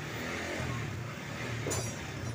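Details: Honda CB150R (old model) with a battery that kept draining, after fitting an original stator and an aftermarket regulator/rectifier; kick-started on a weak battery. Engine blipped repeatedly for 2–5 minutes to warm up and charge: revs rise and fall cleanly with no knocks or misses; normal.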